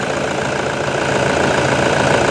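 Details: Toyota Vigo 1KD diesel just after an injection pump rebuild: even idle clatter that firms up slightly, with no odd knocks or misses. Knocking is said to quiet down after the first moments; now healthy.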